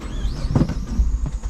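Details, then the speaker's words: Started right after refuelling (started smoothly before): engine sputters, is hard to start, starts then dies repeatedly, as fuel vapors from the tank go through a stuck-open EVAP purge valve into the engine. "Sputtering, hard to start. Do it again. Starts, then dies. Do it again. Starts, then dies."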